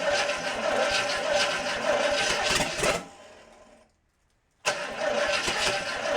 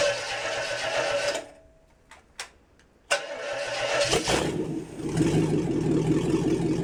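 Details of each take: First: International 345 V8 after reassembly, first start-up after correcting reversed wiring; catches and runs with a steady, slightly lumpy beat and a brief dropout, timing set by ear, carb still needs work, but idles. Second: International 345 V8 at first start-up after reassembly, wiring fixed for spark, timing set by ear: fires, cuts out briefly, catches and settles into an uneven idle; rough idle, carburetor needs tuning.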